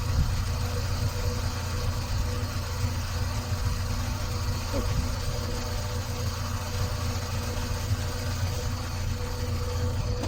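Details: Hyosung GT250 twin, trike conversion, newly installed carburetor and wiring harness, steady low chugging as it turns over and tries to catch but never runs; cranks without starting.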